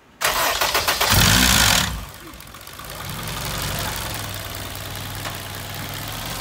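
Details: Honda K-series engine cold start: harsh metallic clatter for under two seconds before settling to idle; rattle present for months and worsening.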